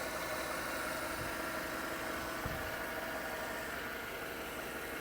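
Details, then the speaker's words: Chevrolet Tahoe 5.3 L V8, under 100,000 miles, dealer trade-in at auction, under the hood: steady, even idle hum with no knock or tick above it; idles smooth and quiet, no red flags. "so this is the what is it 57 or 53 uh 5.3 L BTE sounds [Applause] good nothing really stands out that is a red flag"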